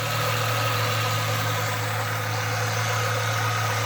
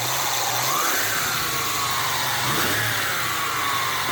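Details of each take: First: 1996 Mustang with intermittent battery light, replacement alternator from a 1994 engine fitted: smooth even idle with a faint steady alternator whine, no rattle or grind, battery light out; normal alternator running and charging. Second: 1996 Ford Mustang, intermittent battery light, not charging: engine running with a little throttle, thin whistle rising and falling with revs over engine noise; suspected failing alternator bearing rather than the pulley.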